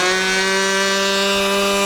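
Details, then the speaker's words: Thunder Tiger GP-28 nitro engine in Phoenix Model RC plane, break-in run on full tank, needle valve about 3 1/8 turns open: steady high-pitched buzz, no sag or surging; running clean, not lean. "Okay, the engine has been running continuously since I stopped the film and started it again. I opened the needle valve another 1/8 of a turn, so it's about like 3 1/8 turns."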